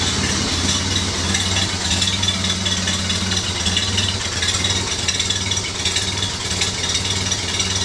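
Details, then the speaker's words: Ford Model A coupe after restoration, first start: catches straight away and settles into a steady, even idle with no misfire, after lean misfiring on cylinders 1 and 4 was fixed with intake clearancing plus ignition timing and carburettor tuning. "Good, fire's right up. Just like it should."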